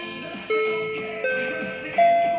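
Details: InterM ACR-120M public address system under repair, chime function test: three clean bell-like chime tones, each struck then slowly decaying, rising in pitch over about two and a half seconds; chime works properly.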